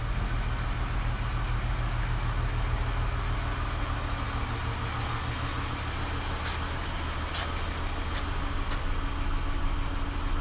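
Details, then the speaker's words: Ford EF Fairmont after replacing centre-section mufflers that had rattling baffles: low smooth even idle, steady pulse, no rattle or exhaust blow; system sealed and quiet. "Well, pretty pleased at the silence."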